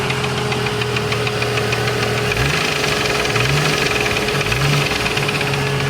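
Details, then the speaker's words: 1989 Jeep Cherokee XJ, Renix 4.6L I6 with AW4: a deep, steady, rapid internal knock over a rough idle, rising with each throttle blip, after temperatures ran a little high; engine knock of unknown cause. "Yeah. Doesn't sound good at all. Temperatures were getting a little high, so I don't know. Something's no bueno, man."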